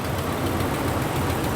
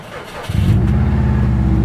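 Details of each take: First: Volkswagen Vanagon, 136,519 miles, at idle: a light, quick ticking over the low rumble that almost sounds like a lifter; suspected exhaust leak, probably at the manifold, where bolts often snap; not confirmed. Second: 1986 Volkswagen Vanagon, 109,000 miles, starts without a jump after a brief crank and settles into a steady, even run with no knocks or misses; check engine light is on.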